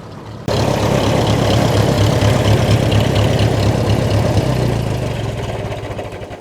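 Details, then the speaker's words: Old Ferguson TE20 tractor idling to warm up before an oil change at its 60-hour service: it fires and settles into an even, steady low chug with no knocks or misses, running sweetly. "But yeah, as you can hear, it runs pretty sweetly."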